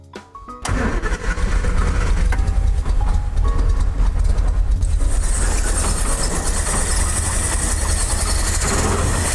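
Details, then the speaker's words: 1973 Triumph GT6, started after pressurizing the fuel tank: lumpy, ragged, stumbling running on only three of six cylinders, because the front carburetor piston isn't lifting. "you can see the car's running very, very poorly, about as bad as you can imagine. Feels like it's running on 3 cylinders."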